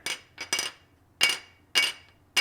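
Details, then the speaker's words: Stihl BR 600/700 backpack blower engine pan dropped onto a steel surface to check for cracks: each drop rings with a clean, high, fading tone, so no crack. Loose bolts had worn into the pan, so it will most likely be replaced anyway. "a quick way to check it is if you have a metal surface like this if you just drop it"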